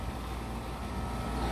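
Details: Condenser fan of outdoor AC unit running after replacing a failed 45/5 µF 370V CBB65B run capacitor: steady, even whoosh and hum with no rubbing, clicking or labouring; fan now spinning normally.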